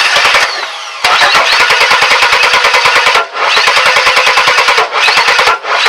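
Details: 2001 Chevy S10 4.3 V6 no-start: fast cranking broken by sharp rapid pops, never runs, sounds almost out of time; distributor cap shorting inside and misfiring the sparks, not timing.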